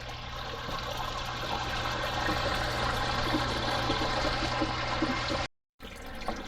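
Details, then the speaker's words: Zoeller M267 sewage ejector pump being replaced because its float stopped triggering it automatically: steady watery rush and trickle over a low hum as runoff water flows back into the pit after a manually triggered pump-out. "You can hear it trickling in."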